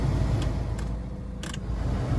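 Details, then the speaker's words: Citroen Berlingo / Peugeot Partner heater blower motor after replacement and key cycle: low steady fan hum, no grinding, rattle or squeal; the old blower motor was the cause of the fault, now normal operation. "Hard to show air or anything blown, but you can probably hear that. Again, the obvious, as I said, motor. That was causing our issue, our problem, our concerns."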